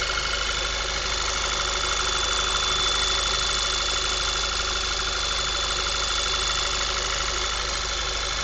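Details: 2010 VW MKV 2.0 TSI, about 1000 miles, APR stage I and Neuspeed intake, warm after driving: thin constant high whine above steady idle; owner suspects failing water pump, not confirmed.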